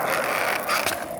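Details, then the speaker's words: Cheap plastic skateboard wheel spinning freely, recorded with a phone held close, gives a steady gritty rolling rasp with a dry scraping edge. The owner suspects odd lubricant or the bearing balls; not confirmed. "something sticky, or it might just be the balls inside the bearing with some sort of, they probably got some sort of weird lubricant or something that makes them sound like that."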